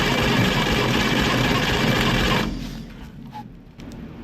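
Quick, even cranking rhythm of roughly four beats a second for two seconds, then stops; starter is turning the engine properly.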